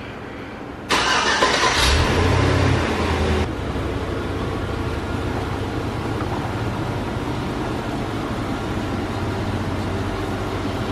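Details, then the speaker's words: Suburban after front differential repair, test drive: engine starts, revs, then steady drive with even hum and no whine, grind or clunk; old noise gone, driveline healthy. "seems good all right so as you guys saw in the last clip we got it running and driving no more noise"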